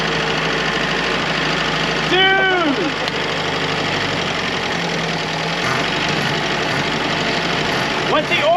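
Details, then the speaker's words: Early-1940s Ford GPW WWII jeep four-cylinder, first run after sitting since about 1965: steady, even idle with no knocking or tapping, oil pressure over 40 psi; normal idle. "pressure that second KN no knock it sounds good 4 good no"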